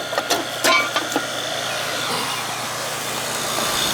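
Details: Ruud first-floor AC condenser, compressor just restarted after replacing a bad capacitor and the blown-off compressor common wire: a few clicks, then a steady even hiss and hum, no knocking or stalling; lines cold and sweating, charge fine; normal compressor running.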